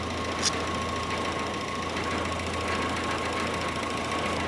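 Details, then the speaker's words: 1946 Jeep CJ2a four-cylinder in neutral after fuel filter reconnected and fuel flow restored: steady, even idle with no knocks or misses; running smoothly, though clutch won't disengage. "Still in neutral. Runs great. Runs great. Why does it run great? I don't know."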